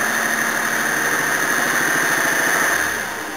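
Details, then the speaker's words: Toyota Cressida engine, light free revs. A fairly regular knock about four per second appears only when unloaded, free-revving or decelerating, and is fine under load while driving. Owner suspects big-end bearings and is testing thick oil; unconfirmed. "it's only when it's not underload or you free Revit so if you're decelerating it does it too"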